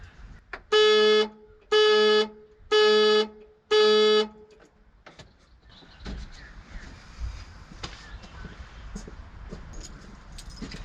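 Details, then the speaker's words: Abandoned Australian Ford XF Falcon ute during will-it-run revival: four steady horn blasts about a second apart, then quiet; non-factory old aftermarket alarm/immobilizer firing the horn, its relay near the horn clicking each time. "Well, that might be the relay that's over there near the horn. Yep, I can hear it clicking every time it puts the horn on."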